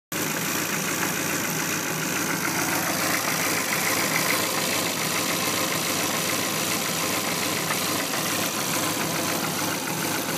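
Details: 2002 SVT Focus petrol engine idles very roughly with a lumpy pulse of about two beats a second; plugs replaced, battery and alternator tested, rough idle persists.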